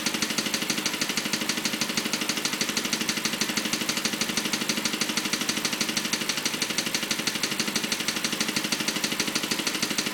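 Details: BMW 545 at idle: a crisp, even tick about three times a second rides over a smooth idle; persistent ticking noise, source not yet pinned down.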